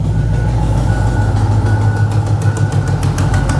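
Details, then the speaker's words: 2010 Chevy Camaro SS, LS3 6.2L V8 with BBK headers, heard at idle on a walkaround: deep, steady idle with a faint, quick ticking puff on one bank. One header side is not sealing, an exhaust manifold leak. Otherwise runs well with clean oil and no overheating. "Like I said, she definitely has a manifold leak here. They put a nice set of BBKs on it, and this side just is not sealing well."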